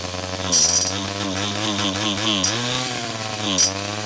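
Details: Small two-stroke 47/49cc pocket bike engine started after carburetor replacement with new fuel lines and filter, on little fuel; buzzes at high pitch with quick throttle blips, catching cleanly each time; runs normally.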